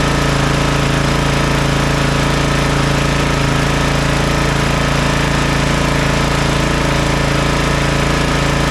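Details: Toro TimeCutter MX4200 74765 zero-turn, had smoked and died off choke; on fresh ethanol-free fuel with fuel lines refitted: strong even beat about four pulses a second, steady pitch, no surging or misfire; runs healthy, earlier cause unknown.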